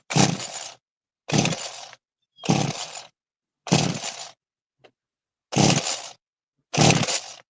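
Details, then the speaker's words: Small trimmer engine being pull-started with the choke on and throttle floored: six free-spinning pulls about a second apart that never fire; it sounds mechanically tight but seems to get no fuel, with the spark plug queried. "The engine sounds nice and tight. Okay. But it doesn't sound like it's getting any fuel whatsoever."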